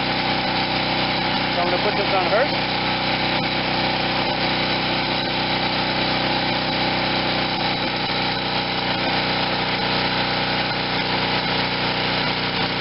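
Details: Wen 4050 generator with new carburetor under a 1500 W space-heater load on one side, under half load, speed screw being adjusted toward 61 Hz; even, constant hum with no hunting or surging, running healthy.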